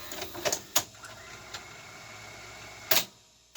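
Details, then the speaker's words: Sony Betamax SL-5200 Hi-Fi VCR loading a tape: crisp clunks and a steady motor whir with no slipping. The loading belts sound okay and the video head spins up; bad capacitors are suspected for a separate fault. "sounds like the loading belts are okay hear the video head spin up"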